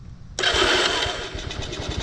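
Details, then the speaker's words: Vintage motorcycle in a will-it-run session with no headlight: catches after a short crank and settles into a steady, even idle with a clean exhaust beat; it runs fine. "especially that sounds good if you use this one for parts because this red one over here needs an exhaust"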